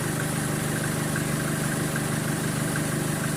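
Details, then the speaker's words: 2013 Chevrolet Colorado after the alternator pulley was replaced, idling with the aircon on: steady, even idle with no ticking or chirp from the front; the pulley noise is gone and it runs normally. "Nawala na yung tunog. Nawala na yung tunog ng pulley na yan. Yan yung pulley na yan ng alternator. Tahimik na."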